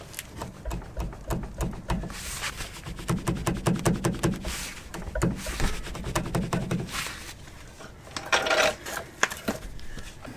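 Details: Chevy Colorado ZR2 front suspension, about 37°F: sharp wooden knocks as control arm is rocked by hand; clunk traced to worn Peak Suspension aftermarket upper control arm bushing, happened before.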